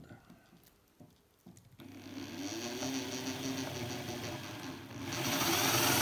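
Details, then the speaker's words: Countersinking a drilled hole in a new aluminium bicycle crank during lightening, after an 8 mm drill was judged too big: the bit bites with a harsh fluttering whir and pulsing high ring over the drill motor, countersink chatter. "don't like this sound I do not like that"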